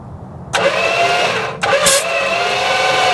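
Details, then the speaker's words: 1973 Dodge camper truck, 400 or possibly 440 engine, sitting 25 years, PB Blaster sprayed in intake, thumb over spark plug holes while jump-cranking: strong, even cranking with firm whoosh each compression stroke; healthy cranking compression. "I'm gonna just put my thumb over the holes and we'll jump it and crank it and see if we have any compression."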